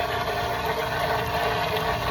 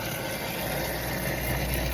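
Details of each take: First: Garden pond pump running short of water with the skimmer door closed and basket lifted out for cleaning: loud steady hum with a rough churning edge and no rhythm; pump starved of water. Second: Pond pump running normally after the skimmer basket was rinsed and refitted and the skimmer door reopened; even, steady whir with water rushing, no surging or gargling, noticeably quieter as water reaches the pump and it draws normally.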